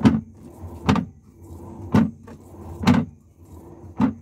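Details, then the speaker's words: LG top-load washer that wouldn't wash, only spin, after fitting a good splined drive part: low motor hum with a soft thump about once a second as the whole transmission now agitates normally. "podes escuchar está moviendo ya toda la transmisión mueve toda la transmisión y pues nuestro fresado agarra correctamente en el en nuestra barra"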